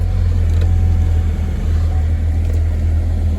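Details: 2010 Chevy Equinox just after starter replacement with battery reconnected: low, steady, even hum with no ticking, knocking or whine throughout; engine idling smoothly and healthy.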